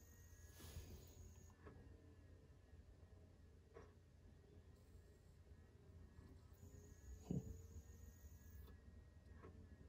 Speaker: this is why you have to finalize your disks yep that's what happens when you don't finalize your discs they won't play at all